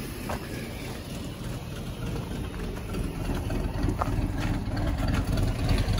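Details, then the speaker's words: Classic Ford F150 with 300 inline-six, revived after sitting about 29 years, still cold just after first start; low, even beat with no misses or knocks: normal idle. "all right y'all it sounds just like every 300 we've had or every inline six ford that we've h"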